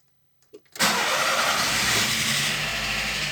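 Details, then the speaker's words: VW Gol G4 two-door, recently bought, already decarbonized: cranks, catches and settles to a quick idle with light ticking that the owner attributes to the hydraulic lifters, which goes away after it runs; cold start. "quando funciona ele não faz barulho ele faz aquele barulhinho dos tuchos né mas depois ele fica normal"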